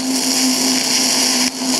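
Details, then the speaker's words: TIG welding galvanized mild steel, zinc only partly cleaned off: steady hissing arc with low hum and a brief dropout, the spitting pop of zinc contaminating the tungsten, though the weld is cleaner. "I still have a little bit of popping from the galvaniz but it's a lot cleaner weld there you go now we'll try this side without the lens see how it pops like that this side I didn't clean up as much"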